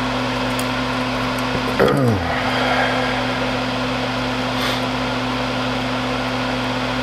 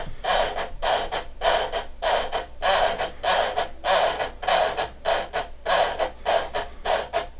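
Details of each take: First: Seized sled motor from a Panasonic 3DO FZ-10 whose laser wouldn't move, bench-tested with a 9-volt battery: brief whirring chirp dropping in pitch as it spins, then stops, over steady hum; motor turns freely. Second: Panasonic 3DO FZ-10 with a seized laser-sled motor, on the third try after greasing the gears, removing excess grease and reseating them: rhythmic gritty grinding bursts, about 100 a minute, each scrape repeating with the drive cycle; still grinding, cause unconfirmed.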